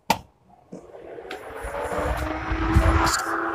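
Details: Mahindra Bolero condenser fan switched on with the AC button: a whoosh as the switch clicks, then a smooth, even hum with no rattle; normal condenser fan operation.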